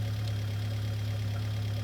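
Low, steady idle hum with an even beat and no ticks, knocks or rattles; this four-cylinder is idling healthy.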